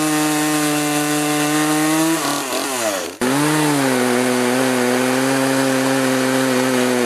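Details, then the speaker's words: Poulan 3818 38cc chainsaw with 18in bar, after carburetor adjustment to cure bogging; high, steady scream that sags briefly as the chain bites into the log then picks straight back up, now cutting properly. "anyways I'm back in the shop with it it runs pretty good it's not going to cut like a steel or aavara but for poing this size it's about as best as I'll get it"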